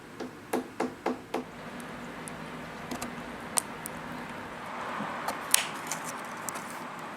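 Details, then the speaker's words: Probably Italian late-18th/early-19th-century console table: knuckle tapping across the top gives a hollow, papery note where veneer has lifted; loose veneer located by tapping, made difficult by very thick inlay (about an eighth of an inch). "we do that by tapping you can hear the loose veneer this table is difficult because this inlay is very thick"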